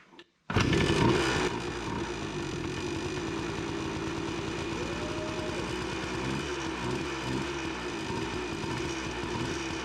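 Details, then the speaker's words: 1993 Yamaha RT180 two-stroke dirt bike that previously had no spark, first kick after reassembly and fresh fuel: fires and settles into a crisp, steady two-stroke burble with even firing; running normally, slight fuel leak noted. "she is freaking alive yes heck yeah dude"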